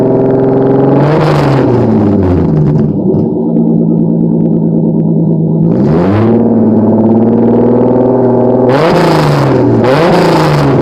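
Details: Acura Legend, mechanically properly tuned, revved for a few seconds: crisp, clean revs climb smoothly and drop back to a steady idle three times, with no knocks or rattles. Healthy engine revving.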